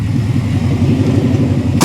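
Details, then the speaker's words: 1978 Ford F100 with Coyote V8 and 6R80 swap, fully warmed first run, open manifolds with no exhaust pipes, coolant about 165–181, 30 lb oil pressure: loud lumpy idle with occasional dropped beats; lean misfires. "Need a little need a little extension pipe on those manifolds. That's some lean misfires right there."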